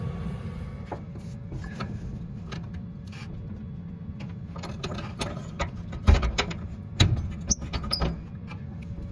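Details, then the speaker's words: 5-year-old Whirlpool Cabrio dryer: the drum rumbles with irregular rattling clicks from a failed, loose idler pulley bearing; the noise returned when the drive belt was reconnected, confirming the idler pulley needs replacing. "So sure enough, that's got to be the problem. The noise came right back when I reconnected the belt."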